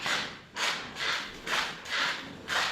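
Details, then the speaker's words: Car chassis creaking rhythmically, about two a second, as it rocks; the same creak occurs when steering and on bumpy roads, caused by aged suspension rubber bushings typical of cars 3–8+ years old. "这种吱嘎吱嘎的异响声。我们平时在打方向的时候，底盘传出吱嘎吱嘎的响声，走在颠簸路面也会传出这种吱嘎吱嘎的响声。"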